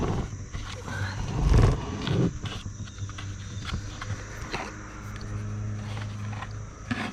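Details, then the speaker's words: Harbor Freight Central Pneumatic 3-gallon air compressor not building pressure, louder than usual, low hum with rough, uneven clattering knocks from the piston area, broken-up connecting-rod bearing: connecting-rod bearing knock. "if you have one of these this is a noisy compressor right out of the gate that's one of the biggest complaints about it but listen to this now listen the noise that it was making sounds like it's coming from back here here's where the Piston is"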